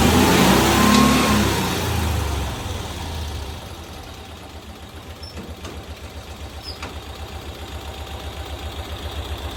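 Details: 1992-ish Cushman Truckster, revived after years in a field, tested in gear: engine revs up strongly, then drops back to a steady, even putter of about four beats a second, no misses; normal revving.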